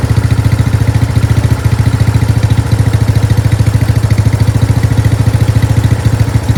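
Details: Craftsman 13.5HP 30-inch rear-engine riding mower after replacing a collapsed fuel line (valves also adjusted to spec): even thumping around 200 per minute, no stumbles or surging; runs smooth and steady.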